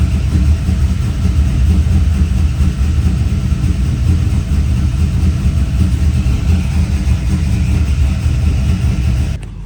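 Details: Silverado V8 with earlier low oil pressure, now reading higher, possibly about 60 PSI versus 30: deep, steady rumble, even beat, no ticks or knocks at idle; sounds healthy.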